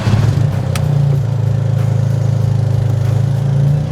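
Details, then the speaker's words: Freshly built Toyota GR Corolla on aftermarket 1100cc port fuel injectors: lumpy, stumbling idle with pulses about three a second breaking the rhythm; cylinder misfire suspected from those injectors, before swapping back to factory injectors. "Specifically, they're 1100 cc's, and apparently 6 people have had these issues."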